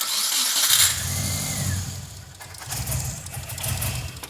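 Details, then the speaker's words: Boxer-engined car, first start attempt after a WRX turbo conversion: the starter spins the engine with an uneven chugging but it never fires, so it cranks with no start. "Make it run. Do >> it. It doesn't. >> It doesn't want to."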